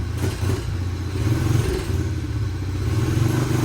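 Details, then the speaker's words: 2004 Honda CRF 70cc dirt bike, stock exhaust before FMF exhaust and intake install, first-kick start: small single thumps at an even idle and picks up cleanly with blips; quiet, healthy. "But you can hear it's a pretty quiet bike. Not much going on there. We can definitely improve that."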